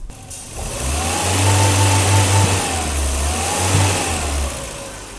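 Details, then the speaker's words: Surging idle between 600 and 800 rpm on a 1984 BMW 318i (M10, 65,000 miles) right after cleaning and actuating the idle control valve with brake cleaner: note hunts up and down, wants to die; owner suspects a bad valve. "I mean, it's surging, but it's surging at, you know, 600 to 800 RPM."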